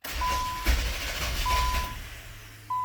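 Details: 2000 Nissan Maxima, 118,000 miles, no codes, intermittent hard start: a key start where the fuel pump is heard kicking on, then the starter churns under a repeating chime but never catches. Security light is off; cause unknown.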